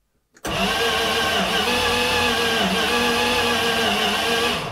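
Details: 1980 Dodge W200 with a Magnum 5.9L, first crank after radiator and electrical work: the starter spins the engine with a whirring drone that rises and falls in a slight gallop instead of a steady, even crank. Uneven cranking.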